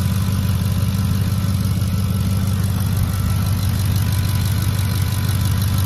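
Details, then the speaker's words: 2010 Ford F-150 idling under the hood, starts quick, low on fuel: deep steady idle with an even low thrum, no skips or stumbles; runs smoothly, pending a service check. "definitely sounds good not hearing any misses or anything still going to be checked out though through service"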